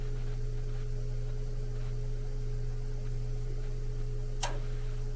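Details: Old furnace after swapping PSC motor for Evergreen IM 6005 ECM blower, heard next to furnace: low steady hum with faint soft tick, no rattle or grinding; runs smooth and quiet.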